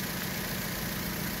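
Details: Vauxhall Astra H 1.4 petrol (79K miles on the car) with a new replacement engine, first startup: steady, even idle with a smooth low hum and no knocks or ticks; healthy, with no dashboard faults.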